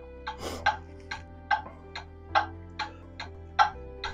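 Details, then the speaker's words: Pendulum clock movement on a test stand with beat amplifier, tilted to one side: sharp ticks about two and a half per second, uneven tick-tock gaps and loudness; clock out of beat. "you can hear how out of beat the movement is there's not a constant even Tick Tock"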